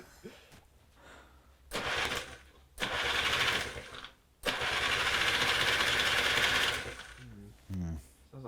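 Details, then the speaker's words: Aprilia AF-1 50 two-stroke barn find, first start after sitting about a decade: short bursts of thin, rattly, high-pitched buzzing rising and dying unevenly, "like a sewing machine, not right"; rough running. "like a sewing machine it's not right"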